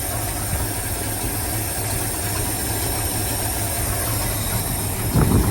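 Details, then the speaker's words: 1979 Ford F700 dump truck, just started after the choke was released: a low, loping, uneven idle with a hiss on top and heavy smoke. It runs rough, cause not found; the new alternator may not be charging. "It's actually running. And it don't sound too bad. He said I ain't got no brake pedal. Let me see. It's got a brake pedal. It's probably not the. It's a. She's a smoky old thing."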